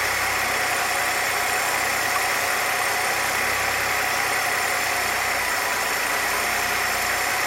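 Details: 1966 Chevrolet C20 with 292 inline six, first run after rebuild, idle mixture tuned by vacuum gauge; low, smooth idle with steady even beat, no misses or knocking; vacuum about 17, rings still seating; normal idle.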